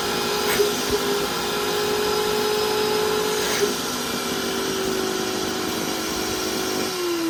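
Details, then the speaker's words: Industrial vacuum cleaner motor running: steady whine that sags in pitch near the end as RPM drops; failing rotor armature. "can actually hear lowering the RPM that's because um on the inside it maybe start sing on the inside or something like that it's just failing the rotor Armature"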